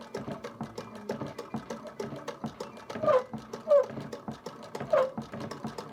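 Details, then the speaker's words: 1922 Singer 99K sewing machine, restored and converted from motor to hand crank: steady rhythmic stitching with a short high squeak on some turns of the wheel; owner suspects the hand wheel, which was never oiled, and plans to oil it. "You might have also noticed that somewhere over here is making a squeaking noise and I realized that I never oiled the hand wheel, so I'm going to give that a drop of oil and see if [music] that makes a di"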